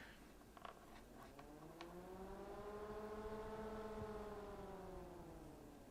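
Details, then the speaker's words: Jonsbo ZF-120 ARGB PC fan: droning tone swelling and fading as the fan speeds up and slows down, like a biplane engine powering up and down; fan tonal drone. "you can hear that noise can't you it does sound like a a biplane powering up and powering down the engines"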